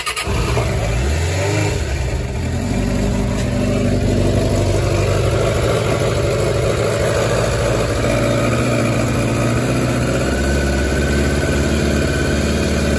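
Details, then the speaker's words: 2006 Suzuki GSX600F (K6) carbureted four-cylinder, cold start on choke, owner reports rough low-rpm running and struggling after startup; catches after brief crank and blip, settles into even fast choke idle with all four firing properly, problem maybe only when cold. "now actually all four seems to be running properly which is a good news so the proba maybe just was for the cold engine"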